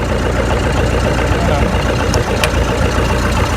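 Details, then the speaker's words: Oliver 550 diesel tractor after injector replacement, running with a rigged-up radiator: steady, deep idle with even low beat, no skips, not missing or smoking; normal idle. "Look at that. Not missing. Not smoking. Hell yeah. Alright, so this thing runs."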